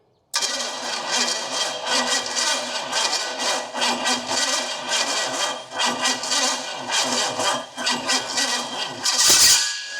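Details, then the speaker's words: 1969 GTO project's Pontiac 455 V8 on first start after oil priming, HEI hot: catches and runs a ragged, lumpy idle, then one sharp loud bang blows out the exhaust; starter also sounds bad. "Whoa, something blew out the exhaust. That scared the bejesus out of me."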